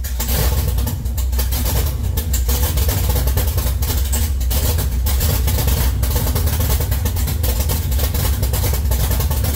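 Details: 1969 Camaro LS3 swap, Holley ECU, open headers: loud crackling V8 with a strong even beat, throttle held up to keep it idling; running on all eight cylinders.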